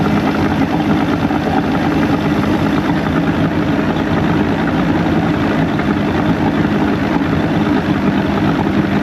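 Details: Evinrude 150hp outboard after VRO delete and double fuel pump install, with a lost O-ring substituted, throttle run up: loud, steady drone holding even pitch with no misses, stumbles or surging; running smoothly.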